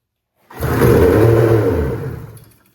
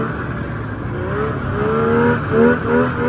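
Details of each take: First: 1995 Polaris RXL 650 triple snowmobile, sat about 8 years and previously locked up, given starting fluid: silence, then a roaring burst of about two seconds that fades out. Fires briefly but won't keep running; fuel system needs work. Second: 1995 Polaris RXL 650 triple two-stroke snowmobile. It had sat outside about 8 years, was previously seized, and is on a borrowed battery. It now holds a steady two-stroke burble and even idle with light blips, no misses or knocks; normal running.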